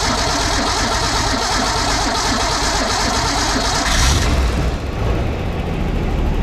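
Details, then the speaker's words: 1962 Ford Econoline with 200 six, new factory-type mechanical fuel pump fitted, first crank: settles into a rough but steady running rumble, fuel pump now feeding the engine; normal start. "Okay, we got a pump again."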